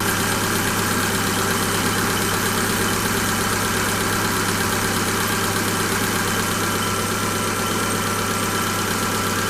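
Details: Engine after adding a 300 ml additive to 6 litres of oil for hydraulic lifter knock: busy idle with light, fast tapping about three per second over the hum; hydraulic lifters ticking.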